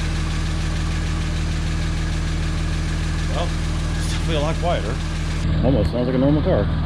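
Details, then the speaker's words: 1951 Studebaker with a makeshift exhaust using a Corolla muffler, cold start after sitting about a week: steady low idle with a soft puffing tick about four per second. Little leak up top; clear exhaust leaks low down on both sides. "definitely one down here though there so it could be quieter than that it's definitely a leak open here yeah both sides"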